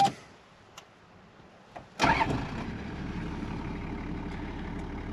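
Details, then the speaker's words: 1993 Toyota Land Cruiser HZJ77 70 Series diesel camper with 24-volt starting system; a few clicks, short crank, then fires at once into a steady, even idle: clean normal start. "With the 24-volt starting system on this truck, fires right up like first crank every time."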